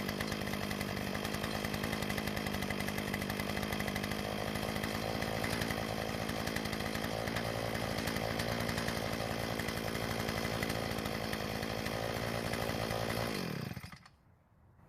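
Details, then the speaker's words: Earthquake tiller that wouldn't start after storage: it now runs with a steady, even buzz for about fourteen seconds and then shuts off cleanly; the cause was water contamination in the gas, fixed with fresh fuel and priming the fuel system. "Well, luckily for us, it started, so the problem was the water contamination in the gas."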